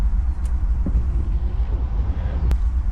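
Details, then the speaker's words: VW Vanagon idling out of gear, clutch in, foot off the gas: a steady, even low rumble with no knocks, ticks or misses; the engine runs smoothly and sounds healthy. "put the clutch in and I won't push the gas let's just see how it sounds perfect that's what you want to hear"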